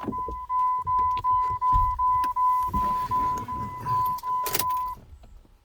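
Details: 1999-2004 Jeep Grand Cherokee 4.0 after head gasket replacement: steady starter churn with no catch. Fuel pump and injector fuses/relay pulled, cranking only to circulate oil before the first start.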